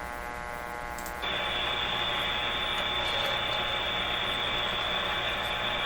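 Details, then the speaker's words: 1925 Magnavox Type D TRF radio tuned near 590 kHz: only a loud steady hiss with a low hum and thin high whistle, no station coming through; signal too weak and noisy, antenna suspected. "There's a lot of noise. What I'm going to do is I'm going to try to improve this somehow. I don't know how. Switch around antennas and that. Try to get more signal and less of all this noise."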